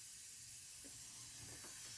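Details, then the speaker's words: Chevy Equinox with a misfire, leak-down test at 80% leakage: steady airy hiss heard at the intake plenum, a little at the oil fill, none at the exhaust. Intake valves are likely bent. "and then I disconnect the hose there stops if I reconnect it I immediately hear it if I put this into the oil I hear a little bit but not much if I put it on the back on the exhaust I don't hear anything so this tells me the intake valves are likely bent"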